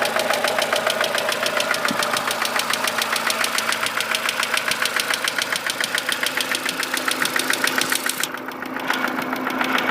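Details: Mercedes W168 engine, warm, at idle: steady, sharp ticking knock about three to four a second from inside the engine; cause unclear.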